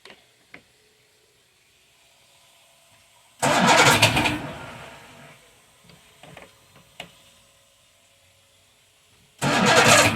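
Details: 1978 Evinrude 150 outboard on 23 ft boat, cold start with choke and a little throttle: two short cranking bursts that never catch; hard cold starting.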